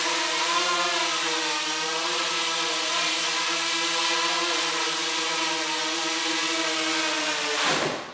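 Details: DIY honeycomb MultiWii quadcopter after MINCOMMAND firmware fix, ESCs now initializing, garage maiden hover: smooth steady motor whine holding pitch, winding down at landing; motors run evenly, normal.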